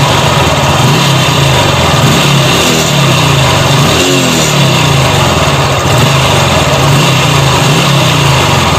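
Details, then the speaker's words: Honda Revo Fit injection motorcycle revved after throttle body repair: rough, rattly top-end clatter; worn camshaft bearing, possibly from oil starvation or poor-quality replacement bearing. "bagian laher noken as laher noken as-nya ini bunyi ya ini bisa terjadi karena mungkin pernah kehabisan oli atau Enggak emang kualitas dari sih laher noken as-nya kayak gitu"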